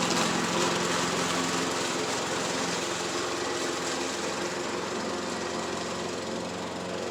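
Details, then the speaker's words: MTD push mower repowered with matching overhead-valve engine, cutting grass after repair: small single-cylinder engine holds a firm even beat, no misses or surging; healthy under load, oil leak still to fix. "as you can see it mows"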